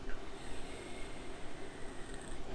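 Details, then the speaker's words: 2004 Chevy Venture warming up at idle after a battery replacement for no-start clicking: low, steady rumble with no misses, knocks or ticks; engine runs smoothly, normal idle. "it's all nice and warming up smooth sounding really good I'm just making sure nothing weird is going to happen or sound or come up show its ugly head so to speak the computer freak out or something"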